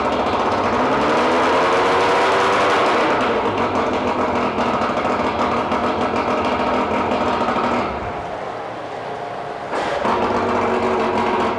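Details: 2001 Mercury 125hp 4-cylinder oil-injected two-stroke outboard, 20in shaft, freshwater motor, compression 100–105 psi per cylinder: loud, even buzz, steady rhythm, dips briefly then picks back up cleanly; no knocks or misses, running normally.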